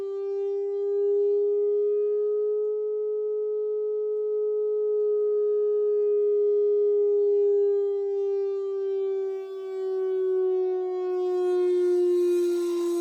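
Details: Medion TV speaker resonating during a frequency sweep from 50Hz to 400Hz and back: steady pure tone near 400 Hz sagging in pitch as a buzzy edge creeps in; resonant squeak, cause unknown.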